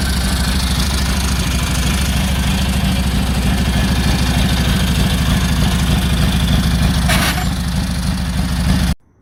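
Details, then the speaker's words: 1946 Indian Chief, original restored V-twin engine, first run after about 12 years in storage: steady, even low-pitched thump at idle, no knocks or misses, settling cleanly before cutting off; runs healthy. "But glad we're here, glad the bike's running. Ran good, so maybe we'll walk around in a little bit."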